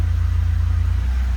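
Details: 1977 Alfa Romeo running just after a cold start, oil pressure up: deep, even exhaust pulse with a steady beat and no ticking or knocking; runs cleanly and healthy.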